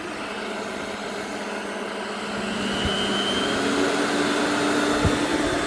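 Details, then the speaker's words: Scrapped vacuum cleaner (Vax 121 / Electrolux 612) from the tip, cracked plug, switched to high: a steady rushing motor roar climbing slightly in pitch, with no grinding or knocking. The motor sounds healthy. "we go, it's running on high. It seems to be alright. The motor sounds fine."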